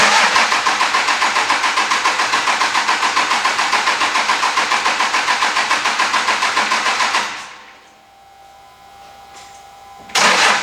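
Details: 2003 Cummins diesel farm truck, fuel pump jumpered with a wire and running: the starter cranks evenly about 3.5 turns a second for seven seconds but never catches; owner suspects no fuel delivery and a weak battery.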